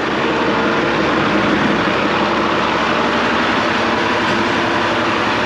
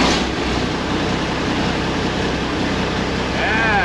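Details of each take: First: 1986 International dump truck, L10 Cummins diesel: steady, even idle continues after key off because fuel shutoff solenoid thumb-screw override is screwed in; won't shut off until unscrewed; solenoid possibly lacking 12 V or needing replacement. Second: 1986 International dump truck, L10 Cummins diesel, restarted after rewiring fuel shutoff solenoid to a fuel on/off switch: deep steady even idle rumble, no misses or knocks; normal running.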